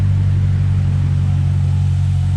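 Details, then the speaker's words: LS-swapped Jaguar XJ-S V8 with a custom exhaust, idling after the V-band issue was fixed; deep, smooth, steady rumble with no puffing or ticking: normal, sealed exhaust note at idle. "i fixed the v-band issue so now it uh actually sounds okay"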